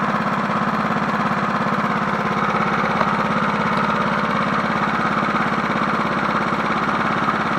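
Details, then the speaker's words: 1981 John Deere NO20K push mower single-cylinder engine, original Champion plug, freshly started after cleaning and re-oiled air filter foam; steady even putter with no surging or misses, running sweet. "Man, that thing sounds good for a 1981. It sounds better to me, and I was born in 1985."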